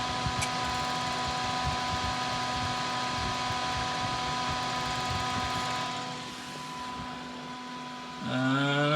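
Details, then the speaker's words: Former inspection-terminal PC, original hardware, powered on during cleaning: steady droning whir and constant hum that dips and swells near the end; fan running loud, no picture on screen, cause unknown. "happening in the screen it sounds like it's very upset"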